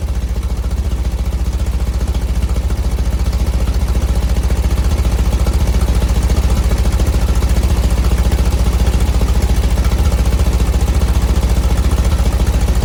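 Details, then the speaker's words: 1970 VW bus flat-four with dual 34 carbs, after tuning and fitting a CSP bell crank linkage; idle screws about two turns out, mixture one and a quarter out: even low chug about 3.5 beats a second. Carbs balanced, good idle. "okay it's got a nice sound to it the idle sound pretty good it seems to be balanced enough"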